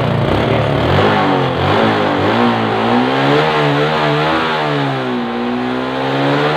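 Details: Suzuki 115cc motorcycle in a no-start troubleshooting job, now running: the small single revs up and down smoothly, pitch following the throttle, with no misses or knocks; healthy engine.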